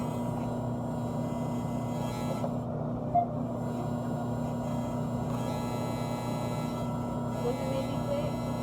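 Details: Air conditioning compressor unit running with a constant low buzz over a steady hum. The buzz stops when the cover is pressed down, so a loose front grille or cover is suspected, or possibly the fan motor. The unit is otherwise cooling normally.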